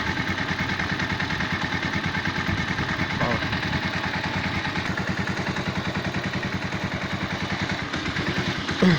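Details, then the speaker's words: Tiger motorcycle engine after repair of a heavy knock: even, rapid firing pulses at a steady idle with no knock or clatter; normal idle, though the carburetor is worn and may need replacing. "احنا بنحكي بس بموضوعنا النهارده موضوع الخبطة اللي كانت في الموتور راحت خالص، وده صوت الموتور الطبيعي."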